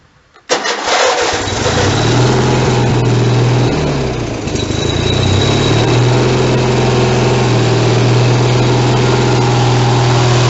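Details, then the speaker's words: Riding mower (YTH 160CR, engine year unknown), dusty, cold start on choke with little throttle, muffler missing: brief crank, fires, runs loud and raw with harsh blatty exhaust bark. "The old cold start without the muffler touch. Sorry, but that's just the way it goes."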